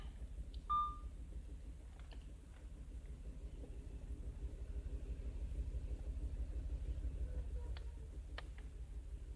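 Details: 2005 Audi A6 saloon idling, check engine light flashing: low rumble with uneven stumbling pulse and scan-tool beeps; cylinder misfire.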